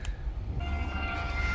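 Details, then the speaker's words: Regal 36 XO boat, ignition switched off with tabs fully down: trim tab auto-retract pump running normally, mounted somewhere underneath, a thin steady whine over a low rumble; tabs retract fully up after one broken piece was repaired. "There we go, we can hear the pump running. It's somewhere underneath here."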